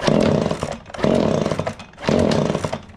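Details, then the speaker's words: Echo PB265L backpack blower, before a full service with new carburetor, fuel lines, filters and spark plug. The small two-stroke surges and sags about once a second and won't hold revs. Rough running. "It'll hit, but she just don't want to run good."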